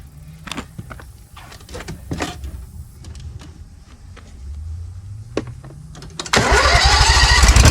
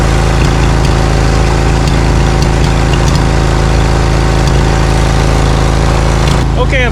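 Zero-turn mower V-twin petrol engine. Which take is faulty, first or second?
second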